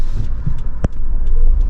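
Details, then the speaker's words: Toyota RAV4 on a test drive, rolling to a stop: low, uneven throbbing with brief dips, engine stumbling and close to stalling; it stalls if given too much gas. "it'll stall. Oops. It'll stall if you try to give it the gas too much."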